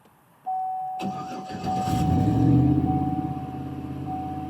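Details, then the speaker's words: 2010 Chevy Silverado with P2135 and reduced engine power, after throttle body cleaning, TPS replacement and key-cycle relearn: starts and holds a fast, steady hum with a thin whistle instead of settling; high idle persists, cause unknown. "Oh, it's still doing this high RPM thing."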